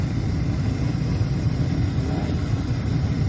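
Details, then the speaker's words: Carrier horizontal 80% efficient gas furnace with AC, made in 2001 (21 years old), in an attic, during a tune-up: steady low hum and whoosh, no rattles, squeals or scraping; the unit is running pretty nice. "that's all for this one this unit uh is running pretty nice"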